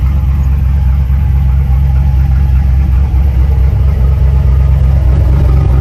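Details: 2008 Silverado with stock exhaust manifolds, a new Y-pipe and catalytic converter, and a custom 3-inch exhaust with a chambered muffler. At cold idle a deep, steady V8 rumble holds an even, unbroken beat with no knocks or ticks, a healthy engine.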